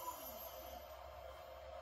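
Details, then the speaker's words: 2.2 kW spindle with no collet nut, running unloaded at 24,000 rpm in a water-cooled versus air-cooled comparison, VFD and cooling fans running: a steady high whine over an even rush of fan air. Normal spindle running. "that is 24 000 RPMs or water cool spin now luckily we have both fans going"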